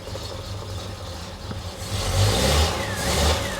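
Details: 1973 TVR 2500M first start after new wiring harness: low steady engine rumble rising slightly with throttle, no knocks or rattles, charge light goes off as it charges; a squishy noise soon follows from a major oil leak at aftermarket oil filter adapter O-ring.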